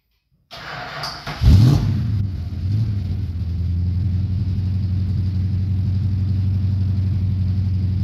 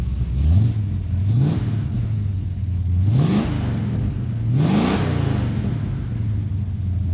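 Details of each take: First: 1969 Dodge Coronet 500, believed-stock 440 V8, 4-speed, nearly cold (last run under a minute an hour earlier); carburetor never serviced after sitting for years. Short crank, catches with a blip, then a deep, slightly uneven loping idle. Rough running. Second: 1969 Dodge Coronet 500, believed stock 440 V8 (possibly HP), 4-speed, nearly cold start, sat for years, carburetor never serviced: deep idle, four clean throttle blips, slightly uneven idle between; owner blames the untouched carburetor.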